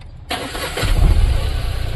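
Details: Tata Magic Express petrol after repairing a no-start, no-communication fault (wiring checked, DTCs cleared): short crank, then catches at once and settles into a steady even idle; starts normally.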